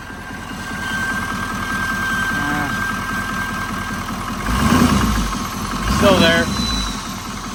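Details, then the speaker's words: Wrecked GM L5P Duramax diesel, possibly around 200,000–220,000 miles, stability light on: steady idle with regular deep knock persisting through two throttle blips; owner doubts injector noise, suspects bottom-end knock. "I don't think it's an injector noise. I think because sometimes these have injector pigtails that go bad and with it smashed and stuff maybe something got weird. Sounds like a like it's a bottom end knock unfortunately, but it sucks."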